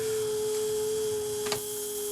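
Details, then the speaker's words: JVC cassette deck recording a 15 kHz test tone at 0 dB onto an old high-bias tape with HX Pro off: steady pure whistle as the tone beats with the bias oscillator, only about -20 dB coming back. "now listen to the tone you're really hearing the 15 kilohertz tone that i'm recording beating with the bias oscillator again with no hx pro i've got like -20 db coming back"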